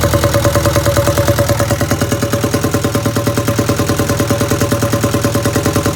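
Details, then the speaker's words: 1962 Land Rover Series 2A 2.25L diesel, after pump timing set: idle slightly rough with loud regular top-end tapping on every beat, valve clatter from rocker adjusters left completely loose after exhaust-peak checking. "whenever i adjusted the valves whenever i was checking the exhaust peak i was checking that i had the rocker arm the the adjuster completely loose or i had it yeah completely loose so that i could get as much movement out of that"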